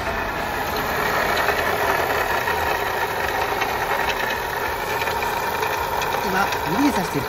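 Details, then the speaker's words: VW The Beetle petrol engine idling, heard from the engine room: a fine busy rattle on top from the worn water pump bearing, before the pump is replaced. "is the water pump here . There is a rattling noise, so I will lift it up and replace it immediately."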